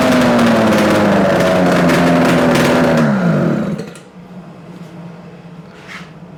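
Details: Yamaha RD250 two-stroke twin on a test-stand mount with total-loss ignition, running after coil wire swap; even, crisp running with no knocks or rattles for three seconds, then revs fall and it stops as battery negative is pulled to kill it; healthy.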